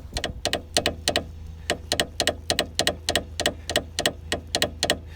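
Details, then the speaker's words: Peugeot 206 front end bounced on the driver side: sharp metallic knocks, often doubled, about three a second; anti-roll bar link bolt slightly loose, fitted earlier without threadlocker, to be retightened with threadlocker. "le bruit vient de là en fait cette vie c'est légèrement desserré"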